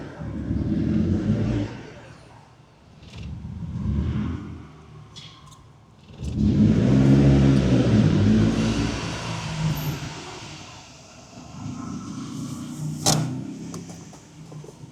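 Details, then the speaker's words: Ford Sierra Cosworth RS during restoration, first road drive, heard from inside: the engine swells through several hard revs, turbo spooling audibly, then cracks and pops on the overrun. Exhaust popping on acceleration. "Oh, un pétard. Oh. C'est quoi cette dinguerie? Oh, le bruit que ça fait."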